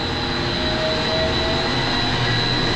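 Steady, even whirring hum with a faint high tone and no knocks or rattles; the pump is running smoothly and sounds healthy.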